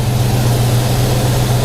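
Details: 1991 Ford Mustang LX 5.0 V8 after long winter storage, battery swapped, warmed up on a cold 30s°F day: steady even low rumble with no misses, knocks or ticks; normal smooth idle.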